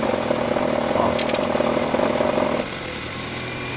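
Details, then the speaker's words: Nissan Sentra engine in D, typically when cold, revving slightly: fast uneven metallic chatter over idle that stops when the belt tensioner is forced; rattling belt tensioner. "Tensor da correia, ó."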